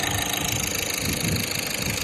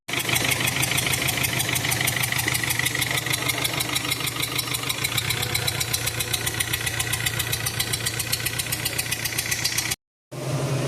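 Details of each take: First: VW Vento engine idling smoothly and evenly with a steady hum and light, even valve-train chatter, no knocking, after injectors serviced and EGR cleaned to cure heavy knocking, jerking, smoke and low engine oil from a leak. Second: VW Vento engine knocking heavily at idle, jerking and throwing a lot of smoke; loud fast metallic clatter over the running note. Engine oil was very low due to an oil leak, causing the noise; lines found choked.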